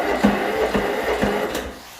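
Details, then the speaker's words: Troy-Bilt 30-inch mower that had no crank at all now cranks evenly at about two compression pulses per second after a popped safety switch under the mulching chute was found and refitted; normal cranking. "now she cranks so that must be missed by quite a bit I'm going have to remember that safety switches man they are everywhere"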